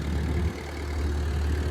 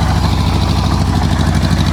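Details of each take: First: Ford tractor, not run for a while, with a new battery, fires within two turns and settles into a low, steady rumble with an even beat and no knocks or misses; smooth healthy idle. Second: Oliver Cletrac OC3 crawler tractor driving through soft mud under load: low chugging about three beats a second, firing uneven with spits; owner attributes the sputtering to a vacuum leak at improvised carburetor seals, repair kit ordered, not yet fixed.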